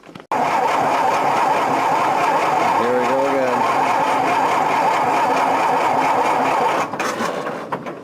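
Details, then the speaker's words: Engine on an off-grid tiny house property, key-start with choke fully out and full throttle, weak booster battery: several seconds of steady starter churning with no firing; cranks but won't start, suspected poor positive terminal connection. "even a kick Wow I don't think this is gonna go so well gosh I don't think we're gonna get it started out over today I need a better battery in my booster"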